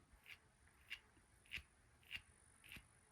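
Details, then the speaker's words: Big-block Chevy high-RPM solid roller lifter under extreme spring pressure: sharp, bright clicks about every 0.6 s from flattened needle bearings in the roller wheel, lifter near failure. "The needle bearings are starting to get flat and it is noticeable."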